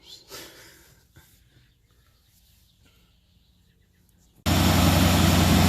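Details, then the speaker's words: 1965 Mustang Fastback 289 V8 after fitting a refurbished Holley Street Warrior 600 cfm four-barrel and refitting the factory fuel pump: electric choke (jumper-wired) had opened, so flap held closed by hand; near silence, then fires first try into a loud steady run. "right it pretty much fired right up i just held that flap down"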